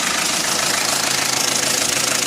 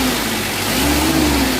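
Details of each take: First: Panther 2.3 diesel before tune-up/adjustment: harsh, uneven, loping clatter at idle at about four beats a second. Rough, out-of-adjustment running. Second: Mitsubishi L300 diesel at factory settings, light throttle: revs up smoothly with an even, rising drone and no knock or miss, only thin dust-like smoke; normal revving.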